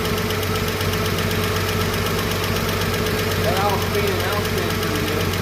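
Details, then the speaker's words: Chevrolet 235 Blueflame six after the bad lifter was repaired, rockers refitted and the valve adjusted: steady, even idle with a soft, regular exhaust pulse and no ticking or clatter. Normal idle; the earlier miss is gone. "It's running good, smooth, and ain't ticking and clacking."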